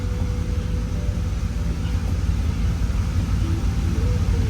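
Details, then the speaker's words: 2001–2002 Camaro SS SLP, about 100,000 miles, after new headers and Y-pipe install and tune: deep, steady, even V8 idle at about 700 rpm, louder than stock, slight smoke from burning off header residue; running smooth. "So it's gonna be smoking a little bit, but running smooth. Sounds great. Way louder than before, which is way better because it was stock. That thing didn't. You can hear nothing. Idling at about 700."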